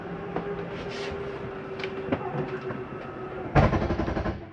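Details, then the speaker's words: 2022 Jayco Whitehawk 27RB travel trailer slide-out retracting: a steady motor hum, then a brief burst of rapid ratcheting at full retraction. This is normal, not grinding; the mechanism stops itself going in further. "want you to hear that noise that is nothing grinding that is the slide mechanism telling itself not to go in any further"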